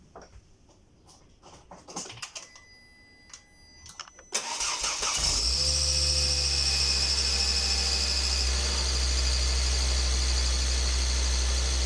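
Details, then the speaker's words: Volvo XC90 2.5T petrol turbo, cold start: a thin, high whistle from the turbo and exhaust-manifold area rides over the cold idle, drifting slightly lower. "хотел бы показать как при холодном пуске происходит свист в зоне турбины заводим"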